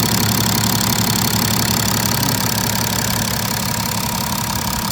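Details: BMW F10 535d diesel idling after injector replacement: injector holes cleaned, valve cover and intake manifold refitted, diagnostic tool connected for air bleeding. Steady, even idle with light normal combustion clatter and no extra ticking or knocking.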